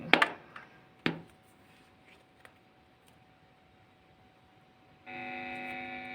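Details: TP-Link power adapter measuring 9.17 V output, plugged straight into a guitar effect pedal: a couple of clicks, a faint thin tone, then a steady buzzing hum; pressing on it reduces the noise.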